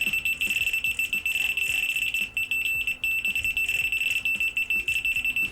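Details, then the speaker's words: Over-20-year-old Beko washing machine motor, multimeter in continuity mode on tachogenerator contacts, shaft turned by hand: high beep chopped into quick pulses, showing the tacho magnet turns with the shaft; working tachogenerator. "і зараз я торкнувся щупами обох контактів і тестер зараз мовчить але якщо я почну обертати вал то тестер почне співати нам"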